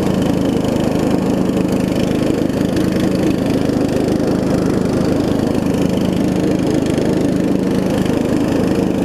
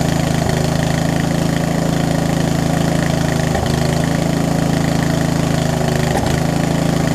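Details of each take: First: Murray widebody riding mower with a 16.5 hp Briggs, after new carb, fuel lines and a valve adjustment: steady, even putter that idles down very low with no stumbles; a slight exhaust leak. Runs well. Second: Murray widebody riding mower that sat for years, started on choke: steady single-cylinder chug at fast idle with an uneven beat and occasional stumbles. Owner suspects too little fuel through the line, a worn carb and a possibly leaking needle and seat.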